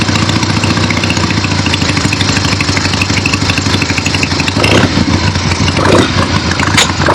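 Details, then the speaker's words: Finished 1975 Harley-Davidson XLH Ironhead Sportster after rebuild, basically stock, real road test ride with gas tank fitted, camera clipped to rider: even, loping twin-cylinder beat pulling cleanly, no knocks or misses; runs great. "But this is done, and it looks good, sounds good, runs great. Very happy with it."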